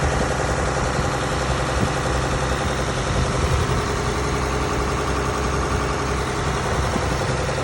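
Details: Mack B61 semi diesel with auxiliary fuel pump pre-run to build pressure (3–7 psi), 70 degrees water temp: steady low idle clatter, no stumble; idled about 17 minutes but died when throttled; marginal fuel supply suspected, not confirmed.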